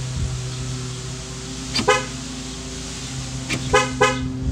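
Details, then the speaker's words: Chevrolet Impala after replacing the door lock actuators: two short, clean horn chirps confirming locking; all locks now lock and unlock normally. "all right so i'm all done with the lock actuators now all of them open i should say lock and unlock"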